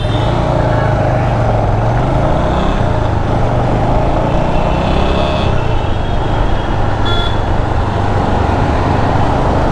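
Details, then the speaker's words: Bajaj Avenger at about 84 with the helmet visor open: a constant loud rushing wind roar over a low engine drone, with no mechanical knocks; windscreen buffeting that is much quieter when the visor is closed. "84 बहुत तेज हवा जाती है यार चलते हुए I don't know तो मैं तो हेलमेट बंद कर लेता तो मुझे बहुत कम आती है बट जब भी मैं एलिमेंट की विंडस्क्रीन खोलता हूं तब मुझे काफी आती है यह आवाज"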